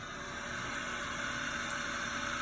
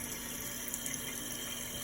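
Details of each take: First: Toilet tank refilling after a flush, before fill valve replacement: steady hissing rush of water with faint constant whining/wheezing tones on top, from the noisy fill valve; noise reportedly worsens. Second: Toilet tank refilling after replacing the noisy fill valve: steady hiss of water running in with no whine, squeal or after-noise, normal quiet refill.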